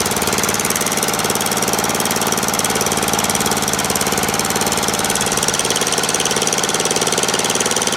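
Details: Murray lawn tractor, 12.5HP Briggs flathead single, after sticky-valve zero-compression fix, warming up after a restart: fast, even chug of about four beats a second with no stumbling; healthy steady idle.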